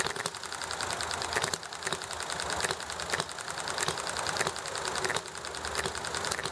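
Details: Enjomor hit-and-miss engine running nicely, with highway traffic and chatting in the background: sharp firing pops at uneven gaps with quiet coasting between; normal running.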